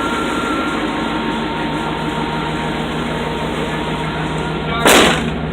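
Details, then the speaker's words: Engine idling just after alternator replacement that had noisy old bearings: steady, clean, even hum with no belt squeal or chirp, apart from one sharp bang near the end; charging about 14–15 volts, normal idle. "Looks good, sounds good. No more bearing squeak."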